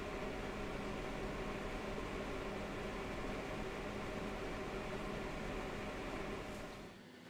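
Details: MSI RX 480 Armor OC 8GB graphics card under load: even airy whoosh with faint steady hum, no rattle or ticking; normal, reasonably quiet fan noise.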